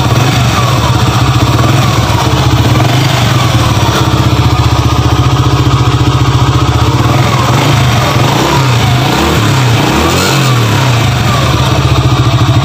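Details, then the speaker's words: Honda Grand brought in for rough internal engine noise: even, steady single-cylinder putter at a fast idle with a little rev, no knocking or rattle; engine sounds healthy. "kita coba ini sudah sampai malam sudah jam mau jam ini ya Saya lembur beda ya suaranya ya guys"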